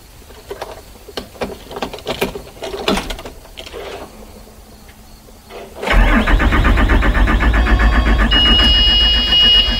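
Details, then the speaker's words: 2009 Bluebird school bus with a Cummins ISB diesel, crank-no-start complaint: quiet clicks, then steady rapid starter churning, about four per second, that never catches. It cranks but won't start. "right there as you can hear the engine cranks but it doesn't start [Music] all right so we have confirmed the complaint the engine cranks but it doesn't start"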